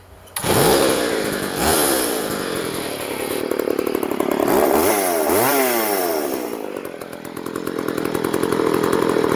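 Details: Vintage Poulan 3400 Countervibe / Craftsman 3.4 two-stroke chainsaw that kept flooding, after carburetor metering valve adjustment, primed: fires quickly, revs up and down several times, then holds a steady buzzing idle without bogging or flooding.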